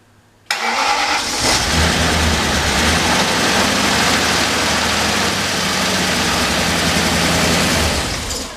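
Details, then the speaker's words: Engine on first start after reassembly, clutch in: it catches and holds a rough idle for about seven seconds, then dies away when a fuel feed line pops off. Stall from the disconnected fuel line. "It runs. And then when the fuel line popped off, it stalled. Yeah, as expected."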